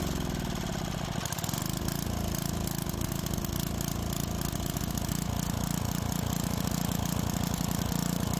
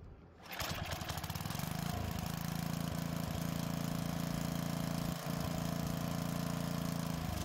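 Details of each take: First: Tecumseh-powered edger that had starting trouble from old fuel, after carburetor work and adjustments: small single-cylinder engine runs steady with a smooth, regular low putter, no misses or surging, blade spinning; sounds healthy. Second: Edger with Tecumseh small engine, sat with old fuel, won't start on full choke; air filter off, brake cleaner sprayed into the carburetor throat: pull-start catches to a steady buzz but dies when choke opens; fuel system issue.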